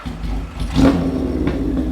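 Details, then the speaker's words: 1977 Kawasaki KZ1000 inline-four with 4-into-1 exhaust, revived after sitting a year, started cold on choke: catches with a quick blip of revs then settles into a steady, even, healthy beat. "sounds good so that's a win is right we move forward on it"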